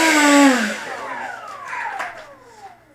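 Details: FMS F-15C Eagle 64mm EDF jet after a fix removed the earlier high-pitch whine and vibration: high clean whine sliding smoothly down as the fan spools off, no rattle or buzz; healthy ducted fan.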